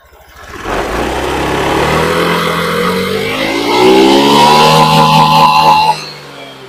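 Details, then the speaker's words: Honda Beat ESP injected scooter after new TPS sensor fitted, previously stalling, misfiring and weak at high rpm; engine snaps from idle to full throttle, pitch climbs smoothly, holds clean, drops back evenly; normal revving, fuel pump still needs replacing. "nah ini posisi udah kita pasang sensor TPS barunya dan kita coba Gas sampai [Tepuk tangan] mentok nah aman ya aman untuk gasnya udah aman sampai mentuk dia sudah aman"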